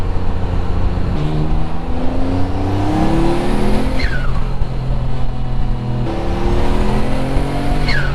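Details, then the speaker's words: Mitsubishi 3000GT VR4 6G72 twin turbo, forged build, 15G turbos with new adjustable wastegate actuators, reaching about 23 psi: hard pulls climbing through the gears, then a ragged break under high boost in third. Suspected fuel cut, not confirmed. "though it's breaking up in third gear is that just fuel cut because he hasn't set I don't know"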